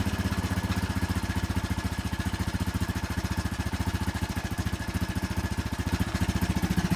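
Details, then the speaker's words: 2001 Honda Foreman 450S ATV, ice-cold engine in cold Northeast weather, started with the choke on, heard at the exhaust. A steady, even thumping idle at a few pulses a second with no stumbles: a healthy cold start. "All right, let's try a very cold start. The engine is ice cold. It's cold here in the Northeast."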